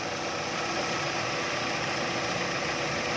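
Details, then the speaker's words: 2010 Chevrolet Captiva petrol at 310,249 km, after replacing a belt tensioner whose fatigued spring let the belt slacken and make noise. Steady, even, smooth idle hum with no chirp or rattle from the belt area. Normal idle. "นิ่งทำงานได้ปกตินะครับ"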